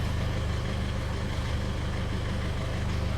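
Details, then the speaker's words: Isuzu D-Max/MU-X diesel after replacing faulty evaporator temperature sensor (GM 981-39383): steady, even idle with low regular beat, AC compressor engaged and RPM changing, no knocks or rattles; aircon working normally. "Okay, gumagana ang aircon. Nagbabago yung RPM."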